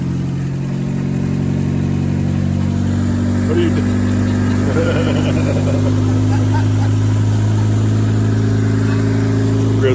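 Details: 2000 Honda Civic EX D16Y8 VTEC turbo build, about 185,000 miles, after rod bearing replacement for a spun bearing, fresh synthetic blend oil: smooth, even idle with no knocking or tapping; normal idle.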